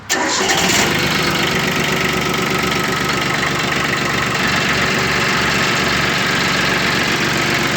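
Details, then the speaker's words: Yanmar YM1610D 3-cylinder 16 hp four-wheel-drive mini tractor, about 465 engine hours, dry engine: quick catch on starter, then even, steady diesel clatter with constant beat and no misses; healthy start and idle. "Работает ровно, работает четко. Это, в принципе, японский трактор."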